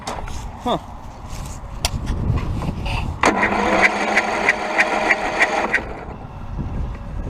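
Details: Used Toro zero-turn mower with a bad engine and damaged exhaust, extra red cables wired directly; starter churns about two and a half seconds with regular chugging beat but never fires; carburetor possibly wrong: cranks but won't start.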